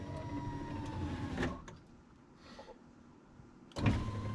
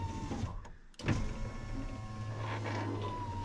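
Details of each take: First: 2000 Ford F250 Super Duty 7.3 diesel power window, after loosening and moving the track: the motor whirs normally, then its pitch sags as the glass gets really slow near the bottom. Owner suspects a dirty track is binding the glass. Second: 2000 Ford F250 Super Duty 7.3 diesel power window, fixed by bending out the track the glass had been pushing out: the motor hums steadily as the glass drops quickly and evenly to the bottom. Normal operation.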